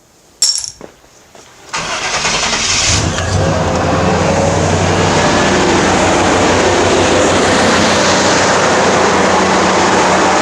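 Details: 1989 Chevy K1500 Silverado after starter replacement; short crank, then engine catches at once and settles into steady, even idle with no grinding or starter chatter; normal start and idle.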